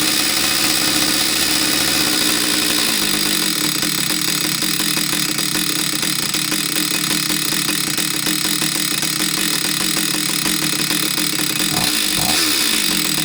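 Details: Husqvarna 66 chainsaw after a no-start fix, where the crankcase impulse signal was not driving the fuel pump: a steady, high, buzzy two-stroke note with no stumbling or dropouts. Normal running.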